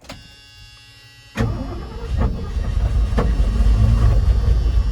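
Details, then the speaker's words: 1978 Ford F-100 sitting 20+ years, carb rebuilt, started on ether: after a quiet pause the starter turns unevenly and labours, seeming to stick, with sharp pops backfiring out the intake; owner suspects ignition timing is off, not confirmed. "When it's cranking over, you can hear just there, it kind of got like stuck at some point. That is a pretty good indication that your timing is off, because pretty much it's firing at the wrong time and it's kind of self-detonating. So yeah, see, backfiring out the intake."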